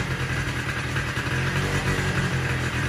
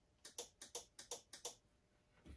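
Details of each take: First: Polaris Sportsman 90 ATV with cleaned aftermarket carburetor: small single-cylinder engine fires up, revs briefly, then holds a steady, even putter at idle; runs properly. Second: Polaris Sportsman 90 ATV with aftermarket carburetor, brake set, kill switch and key on, pressing the starter button: about five sharp dry clicks in pairs with no cranking; starter relay clicks but starter does not turn.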